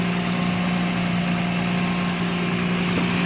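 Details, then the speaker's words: 2009 Toyota Land Cruiser GXR V6 1GR idling, recorded close-up: a steady low drone with a faint loose puffing from a pinhead-sized exhaust leak low on the pipe below the door, not at the manifold. "فراح اشغل الموتر حتى تكون الصوره واضحه في صوت تفتفه من هنا او من اسفل اسفل المصاري انا من وجه القزوز"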